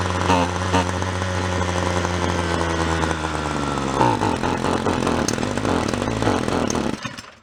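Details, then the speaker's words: Free roadside small two-stroke weed wacker started on full choke: buzzes high and steady, then drops and hunts unevenly before cutting out; running lean, air sucked in around the side of the carb (bubbling), possibly through a cracked housing. "i think it's a little on the lean side i think we're sucking air i'll show you we're sucking air around the side of the carb right there"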